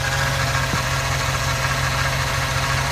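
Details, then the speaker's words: 2009 Chevy Silverado idling, whine first blamed on power steering pump, already bled and tested: steady whine over even idle; points to a dry idler pulley bearing. "but done everything to bleed it and all that and stuff and everything and I still got that wine so I'm going to show you an easy way of finding that issue"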